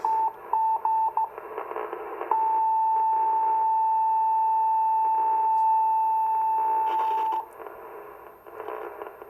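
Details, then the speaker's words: 40-plus-year-old Icom IC-251A 2-meter all-mode receiving a beacon on a 21-element Yagi, after working the scratchy pots. Clean steady tone with short beeps, little hiss and slight power line buzz. Normal receiver audio. "Ooh, sounds good. Nice, clear audio."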